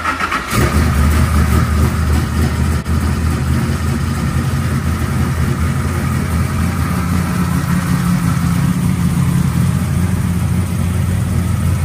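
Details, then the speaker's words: 1970 Chevrolet Nova, GM 572 ci big-block V8 with mechanical fuel pump, first start after going through the carburetor and priming: catches within a second, settles into deep, even, lumpy idle, no misses or knocks; timing then set to 38° BTDC. "the big block fired right up and I picked up the timing light and adjusted the ignition timing to 38° before top dead center sounds pretty good"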